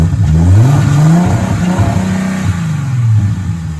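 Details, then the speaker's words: Audi A4 engine (being pulled for LS swap; cracked block, oil leaks, sensors removed) revs roughly with dull clatter under exhaust note as revs rise and fall; blown engine with terrible rod knock, last run before removal. "It's blowed up. It's got a terrible rod knock."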